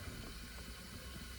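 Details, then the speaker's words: Mamod Minor small toy steam engine, burner lit: faint steady simmering hiss and low bubbling inside the boiler as it heats, like a kettle; normal steam pressure building. "It's like listening to the kettle boil. You can hear there's something going on in there."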